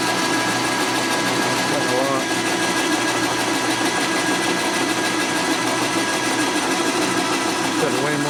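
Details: Steady, even machining hum with light high chatter, no squeal or stutter, during a dry line cut on a 1961 Harley-Davidson XLCH Sportster motor; the cut is running cleanly.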